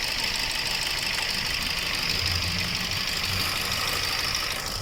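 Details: Car with check engine light and code P0304, cylinder 4 misfire at idle: uneven loping stumble over hiss; coil replaced without change, injector 4 gets no ground signal, fault traced to the engine control unit.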